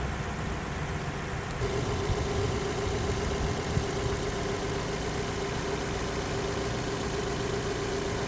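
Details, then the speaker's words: Lexus LS400 with 1UZ-FE V8: soft, even idle with a faint steady hum and no knocks or ticks; so quiet it is barely audible; running healthy. "I can certainly see that happen happening on the on the Lexus cars cuz you really can't hear them running on the"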